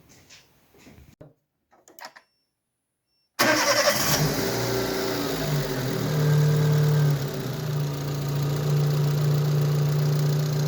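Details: Daewoo Matiz fitted with a Chevrolet Spark 1.2-litre engine, shown at a workshop after the swap: a few quiet seconds, then it catches at once and settles into a smooth, even idle, with no vibration, knock or shaking.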